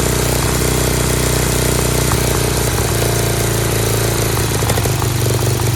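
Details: Dayton lawn tractor's 11 hp Briggs engine, started on its own with choke, gives a steady strong low thrum with even firing, slightly above normal idle with a spring disconnected; healthy engine idling a bit fast.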